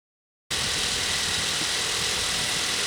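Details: Battery reading about 12.35 V before cranking during battery test: engine comes in abruptly and holds a steady, even run with no knocks or stumbles; normal start and idle.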